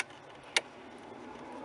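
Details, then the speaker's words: Rebuilt diesel, ignition on, engine off, wiring moved by hand: single sharp click of the glow plug relay cutting in; loose wire on the glow plugs, to be investigated. "That's the glow plugs. So I'm going to have to investigate that as well. We seem to have a loose wire on the glow plugs here as well."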